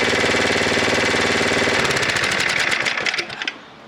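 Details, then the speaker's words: Snowblower small engine at full throttle; the high-idle screw is turned inward to check for over-rev, then backed off well down so the idle drops by itself; turning it back up too far risks backfiring. High idle speed adjustment. "so what I was doing there was I was turning the screw inward checking for over rev um and then letting it settle back and then I turned it down uh quite a ways like you here and the idle dropped all on its own um from a full throw position"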